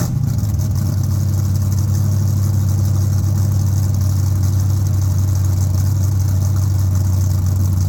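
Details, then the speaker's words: First start after an overdue tune-up replacing worn parts: steady low rumble at fast idle, even firing, no misses, pops or ticking; engine runs smooth and healthy. "So, let's hear this thing how it actually runs."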